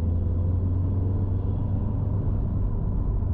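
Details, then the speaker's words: 2008-on Subaru STI (GR/VA) after a stumble fix: smooth, even deep drone under heavier throttle at 3000 rpm, with no stumble or hesitation; normal acceleration. "see no stumble at 3 000 not even a heavier throttle"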